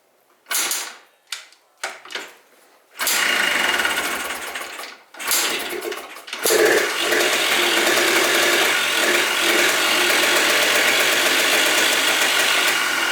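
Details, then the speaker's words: 2004 Yamaha Blaster 200cc two-stroke after a stuck carburetor float was fixed and the carb stopped leaking: a few sputtering bursts, then a steady crackly buzz; it idles properly without the loop hose. "though well it sounds like a will idle now well I didn't think so but it doesn't look like we have to Loop that back TOS thing"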